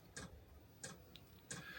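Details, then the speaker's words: HCalory HBS1S 8 kW diesel heater starting up at H10 in a room around 9°C: soft crisp ticks about every two thirds of a second as the dosing pump pulses diesel through; normal fuel pump ticking. "It's starting up. So, it's starting to pump the diesel through."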